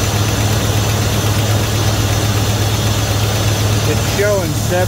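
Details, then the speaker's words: 1971 Dodge Coronet police car, 4-barrel 383 big-block V8, first start since the early 1990s after new plugs, wires and oil change, fuel poured in float bowls: steady, even low idle, no misses or knocks; gauge shows oil pressure (owner doubts reading). Normal idle. "pounds of oil pressure so I don't know if I believe that or not but at least it has oil shut it back down but it's Highlands fairly smooth all considering"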